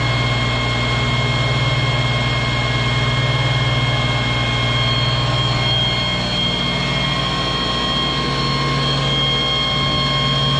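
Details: Monarch lathe just after an oil change: old oil was low (3.5 gallons drained), refilled with AW32, possibly replacing ISO 46, still slightly under the sight glass; steady even hum, low drone and constant high whine, no knocks or grinding, running smoothly.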